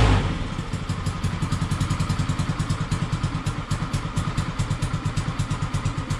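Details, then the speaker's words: Peugeot Django 125 scooter after carburettor replacement for hard starting and poor running: catches after cranking, settles into quick even putt-putt holding steady; idling properly. "it took a little while um but uh yeah and you know it started and it's running nicely"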